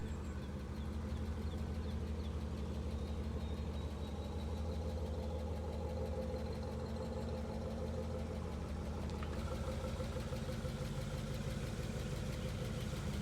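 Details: 1965 Ford Ranchero with 351 Cleveland 4V V8, rotted-out exhaust patched, just got running: steady low throaty idle with even lope, no knocks or misses; normal V8 idle.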